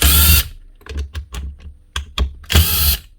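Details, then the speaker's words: Power drill with burnt commutator segment: two brief rough bursts, with clicking heard when the chuck is spun by hand; failed armature. "whenever you spun the Chuck by hand you hear that sort of clicking sort of sound you know it's the motor there you go right there burn out segment so that Armature is actually gone"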